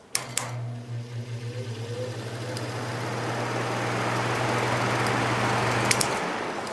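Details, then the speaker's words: Patton U2-1272 fan from the 1970s, new shaded-pole Fasco D128 motor replacing one that burned out in 2016, starting up and stepping through low, medium and high: low steady hum with rushing air building smoothly, no rattle or grind; normal healthy fan. "um this motor actually has the same startup sound that the original one did from that you know back in the 70s so these shaded pole fasco motors have not changed at all since then"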